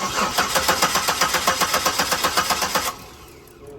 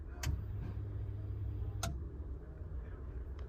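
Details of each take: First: 2007 Buick Lucerne cranked with the fuel pump relay pulled: starter cranks in an even, fast chug about four beats a second, pauses, cranks again, never fires; crank no start because no fuel pressure reaches the injectors. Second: 2007 Buick Lucerne, engine off, fuel pump commanded on and off with a scan tool, pump behind the back seat: sharp relay clicks over a low steady hum. The fuel pump runs normally.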